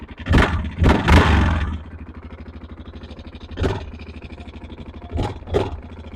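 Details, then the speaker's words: Yamaha Grizzly 660 single-cylinder ATV idling: dull, steady deep knock that gets louder on throttle blips; owner suspects a bad connecting rod (rod knock), engine smoking a little from the exhaust; unconfirmed. "I think she's got a bad bad connecting rod or something it sounds like rod knock to me smoking out the back a little bit"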